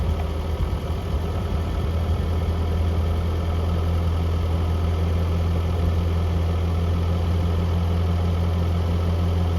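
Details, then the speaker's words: 1982 Toyota SR5 4x4 truck after replacing emissions control computer box thought to have caused crank-then-cut-off; low steady idle, no stumbling or dying; normal idle. "pretty smoo at the moment up a little bit down sounds pretty good at the moment"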